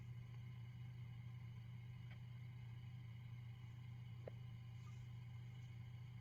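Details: Peavey Classic 30 II valve amp with JJ valves: 3–5 minutes after warm-up and standby on, a steady low mains-type hum drones with faint pings on top. PCB flux residue was found on disassembly: amplifier background hum fault.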